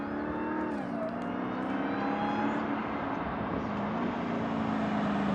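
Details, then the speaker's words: Dodge Challenger SRT 6.2 V8 supercharged HEMI on stock air filter, before K&N cone filter swap: strong V8 pull under throttle with faint steady supercharger whine, quiet and healthy; normal supercharger whine on stock intake. "Just start the engine and hear how it sounds on the stock air filter in. Because even the air filter inside itself is stock."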